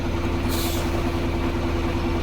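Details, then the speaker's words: KAZ-4540 truck from Georgia, first start after long storage, diesel idling with air system pumped to 7 atm: short sharp air hiss as the parking brake releases and reapplies; parking brake appears to work normally, owner still slightly doubtful. "Вот он снялся, так поставился. Ну, наверное, работает, будем надеяться."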